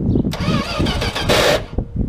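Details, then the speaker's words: 1979 Dodge D100 Adventurer pickup, cranking on a swapped battery: sluggish, laboured cranking with a dragging rhythm for about a second and a half, never firing; starter suspected worn out and kicking out, to be replaced. "We might want to change that starter now. Alright guys, so where we're sitting right now on Brooke's 79 Dodge is we have to change the starter. It keeps kicking out on us."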